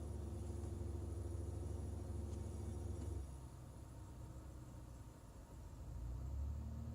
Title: Rough idle on BMW e46 ZHP